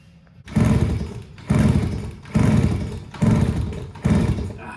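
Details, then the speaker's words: 1974 Kawasaki MC1 90cc motorcycle, has spark: five kick-start thumps a second apart, each dying away without catching and sounding odd; a nest was found blocking the exhaust. "okay it won't start but you can hear how funny it sounds"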